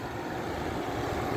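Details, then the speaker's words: 8000 BTU EQK window air conditioner after replacing a rusted-through capacitor that was grounding to the frame: smooth, even rush of air over a soft low hum, no clicks or rattles; fan looks off balance — normal running. "and she runs hell yeah I like that kind we've got a running eight thousand BTU eqk with the reset"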